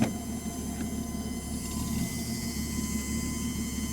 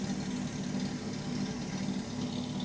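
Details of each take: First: 1967 Mustang with Holley Sniper 1100 EFI, parked after a long drive: a faint steady whine over a low rumble from the rear, blamed on the fuel pump. Worse after long drives, not related to fuel level, and venting the fuel cap doesn't help. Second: 1967 Mustang with Holley Sniper 1100 EFI, professionally tuned after timing chain change, idling after crank-up with mic at rear: steady, even smooth hum with no whine. The earlier loud fuel pump noise is gone, though a quieter pump sound and an air-like hiss are still heard.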